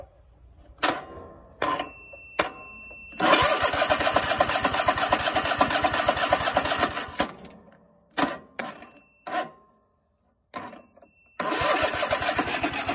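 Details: Cub Cadet riding mower that wouldn't start, being jump-started with jumper cables: several short cranking bursts, then the small engine catches and runs steadily before stopping and restarting; normal start once jumped.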